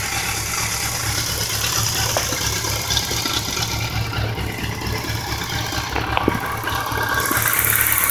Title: Bmw k 1200 rs, 1999. Knock and ticking noise